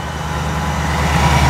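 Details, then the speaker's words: Supercharged Ford SVT Lightning V8 after reseating a loose coil and clearing codes: idle settles with an uneven stumbling low rumble and shaking, still misfiring; coil swap to cylinder one planned to test for a bad coil. "yeah it's shaking around still misfiring when it idles down you can definitely hear the miss yeah it's still misfiring"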